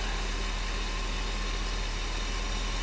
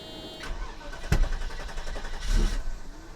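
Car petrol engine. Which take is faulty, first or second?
second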